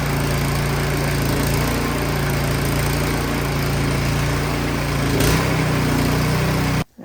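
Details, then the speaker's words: Craftsman 22" snowblower that would not start, after repair and partial reassembly, started on choke: small single runs steady, even and fast with no misses or stumbles; running great. "that is awesome. It's running great."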